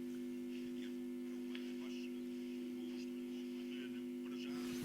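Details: Telefunken Jubilate tube radio on first power-up at about 214 V and 130 mA, volume max, speaker close: a loud steady low drone with overtones over faint but clear reception; lots of mains hum, filter capacitors need changing.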